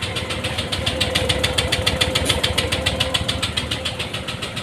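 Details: Honda Vario 150 scooter that had sat dead about three days after frequent stalling; starter cranks in a quick even chatter, about two per second, with no catch or pickup and never fires, so a no-start; throttle body service planned.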